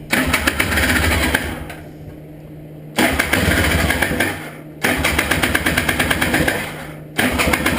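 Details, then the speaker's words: Honda Odyssey FL350 four-wheeler after a carburetor clean of clogged main and slow jets; three cranking bursts of about two seconds each, sputtering but never catching. The owner says it seems almost flooded. Hard starting, cause unconfirmed. "it is almost it is almost like it's flooded"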